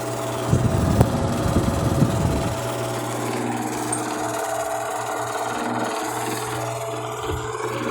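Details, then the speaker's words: Arno electric fan in repair: slow to start, blade struggles to reach normal speed, motor hums loudly with rough rattling buzz then settles into a steady noisy drone; cause not yet found. "quando vai ligar ele demora a partir a hélice tem dificuldade em girar fazer seu giro normal e também muito barulho como os senhores podem ouvir aqui neste vídeo"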